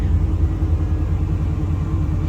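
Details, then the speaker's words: 1990 Chevy K1500 started cold after a gauge cluster swap: smooth, steady low rumble at a raised, even high idle with no misses or knocks; normal cold high idle. "so we're at a high idle"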